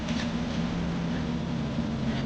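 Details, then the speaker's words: Mercedes W124 E42 AMG M119 V8 after five years off, with rebuilt injectors given new seals and the MAF and air cleaner refitted. Quiet, smooth, steady idle with no misses or ticking, sounding as it did when healthy. "It sounded like this when it was completely okay. It was quiet as a mouse. It worked. Yeah, I mean, car's running smooth."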